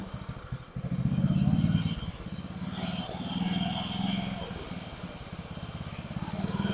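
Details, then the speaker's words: About 30-year-old family lawn mower, small single-cylinder, temporary fuel tank: rises and sags every second or two instead of holding speed, acts like it's starving for fuel; carburetor suspected to need adjusting, not confirmed. Engine surging. "Alright guys, so it acts like it's starving for fuel. Probably need to play with this carburetor a little bit."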